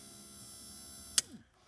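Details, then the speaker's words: 1990 Pontiac Firebird rear hatch pull-down motor after reversing switch and motor replacement and housing repair: smooth steady motor whir cycling down and up, sharp click as the catch flips, motor winds down; normal pull-down mechanism operation. "Down. And up. That, my friends, is the whole mechanism in and of itself."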